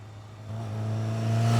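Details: Newly restored 1983 Kawasaki KZ750 Spectre four-cylinder, after carburetor work, approaching on a ride-by: engine note climbing smoothly and evenly, no misses or pops; healthy and strong.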